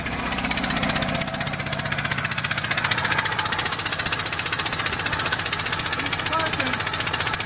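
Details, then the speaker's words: 1998 Geo Metro that sat for years, idling in rain: the plug sparks, so one cylinder is dead and it runs on two; idle lopes and stumbles with a missing beat each cycle, traced to a valve fault. "now if the spark plug has spark then that means we got a dead cylinder for sure okay she's running on two cylinders"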